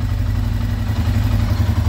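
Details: 2012 Arctic Cat EFI ATV idling normally after a blinking, no-start fault: a steady, even low thrum with a regular beat, no misses or knocks.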